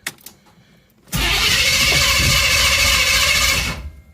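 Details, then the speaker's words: Third-gen Camaro after cleaning the spark plugs: the starter spins the engine steadily for about two and a half seconds but it never catches and no fuel pump hum is heard; no fuel delivery. "i didn't hear the fuel pump around that time let's give it just a minute that fuel pump's usually pretty loud i may have knocked the pressure switch off"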